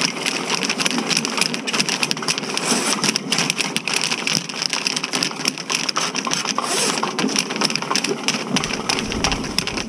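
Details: Electric snake cable run through a cleanout into a clogged ladies' room sewer line at a renovated movie theater: continuous harsh scraping and crackling with no steady rhythm as the cable chews into a hard grout clog.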